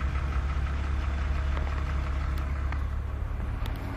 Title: E46 Engine Rattle Noise